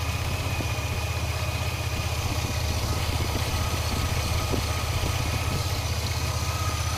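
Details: 2002 Chevy S10 Blazer engine at idle: even rumble with a thin steady high-pitched whine on top, also heard when accelerating; source unknown.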